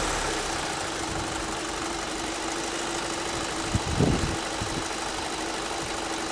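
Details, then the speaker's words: 2006 VW Passat B6 2.0 FSI 150 hp, 250,000 km, long overdue oil service with broken-down oil and a clogged filter: loose metallic rattle over a rough idle before the oil change; suspected poor valve lubrication, not confirmed. "As we can hear there is some rattling noise and it can be due to that the valves are not getting enough lubrication or whatever it can be."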